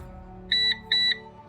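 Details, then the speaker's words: PowerShield PSCRT2000 line-interactive pure-sinewave UPS, battery cable disconnected on AC mains; after about 4 minutes 15 seconds the battery-disconnect alarm starts: two long high electronic beeps about 0.4 s apart over a quiet hum. Owner unsure whether this reflects a polling interval or a grace period. "báo động vừa được kích hoạt. Lúc đó là khoảng 4 phút 15 giây."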